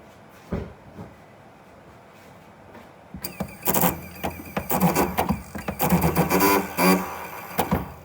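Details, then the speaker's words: 2015 Nissan Leaf with a very spongy brake pedal after several short trips in cold weather, phone held near the brake booster: uneven buzzing and whirring bursts each time the pedal is pressed; brake booster noise with spongy pedal. "je veux mettre le téléphone près du break booster vous allez pouvoir entendre le bruit au niveau du break busto quand je voi appuie sur la"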